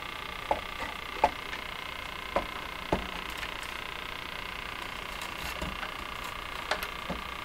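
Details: Crosley 43FB farm radio on shortwave during restoration: sharp irregular ticks, about six in eight seconds, over steady hiss. The intermittent fault has gone away on its own before; capacitors are freeze-sprayed to find it, and the cause is unconfirmed.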